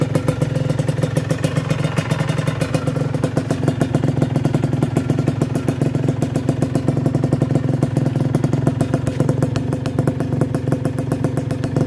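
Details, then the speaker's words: Honda NSR150R two-stroke on Enviro oil, still smoking: quick, even crackle settling into a steady idle with no misfires or knocks, engine and pipe healthy. "Kalau masih coba nyalakan, nah, masih bunyi nguik, masih normal ya RC palemnya."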